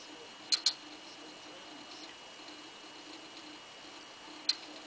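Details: V+ box over near silence: sharp isolated clicks, a quick double near the start and one more four seconds later; unexplained clicking noise.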